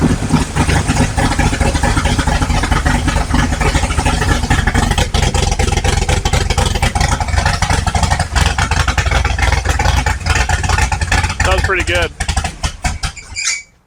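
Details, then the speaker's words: 1955 Chevrolet big-block V8 on first start, warming up: loud lumpy idle around 1000 RPM with uneven firing, fading and stumbling before dying; owner thinks it may need more timing. Cause suspected, not confirmed. "so it wants to idle like a th000 RPM there but then it kind of dies so to sco more timing maybe"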